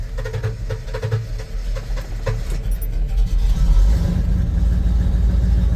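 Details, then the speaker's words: Tow truck idling after new coolant temperature and intake air temperature sensors: a little better but loud, lumpy idle, uneven throb about three beats a second, black smoke, engine shaking; still rich, faulty engine computer. "Okay. Yeah, still not perfect. Still running rich."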